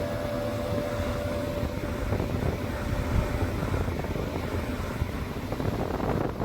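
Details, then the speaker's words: Mercedes W221 S550 4Matic climate blower motor that intermittently blew no air, after cleaning and heavy greasing; at full speed a rough, fluttering roar instead of a smooth whoosh. Owner wonders if the grease caused it; not confirmed. "It's gone. I wonder if that's because of the grease or what. But I do not like the sound of that."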